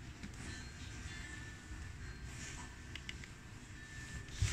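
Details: Luxman LV-105 amplifier after cleaning selector switches with WD-40 and resoldering input board, playing a copied CD: music plays steadily in both channels, no crackle, buzz or hum; earlier hum/distortion traced to cheap RCA cable, now clean.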